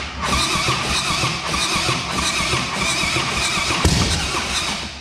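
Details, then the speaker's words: Rebuilt 2010 Harley Softail Standard, S&S engine: steady starter churning with soft uneven pulses, never fires, battery flat; a rocker contacting its cover held the rear intake valve open. "Well, what happened was one of the rockers was touching the rocker cover. Yep. I was keeping the intake valve open on the rear cylinder."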